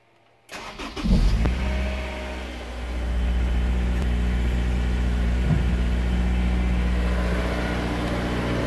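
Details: Honda S2000 cold start after TCT install: starter crank, catch and flare, then steady cold idle with a fast regular tick about four per second; unexplained cold start noise.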